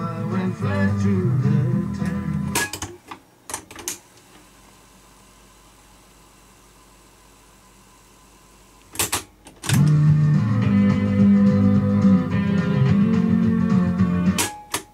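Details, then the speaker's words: Aristona AR9147A cassette deck, a rebadged Philips N2509, playing a tape that sounds fine on other decks: muffled music with almost no treble and a slightly rough edge; owner suspects bad capacitors in the playback amp, head looks good; dull, distorted playback. "for some reason it sounds a bit distorted and dull perhaps it's just a capacitor and the EMP that's bed wonder"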